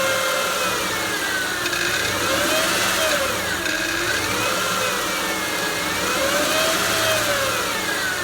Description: I have a 2007 Honda Pilot EXL with 282k and it started this humming noise